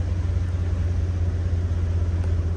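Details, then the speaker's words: Truck idling just after a new starter was installed: deep, steady low rumble with an even beat and no knocking or grinding; starts and idles normally. "We got the new starter on there. Oh, yeah. We alive."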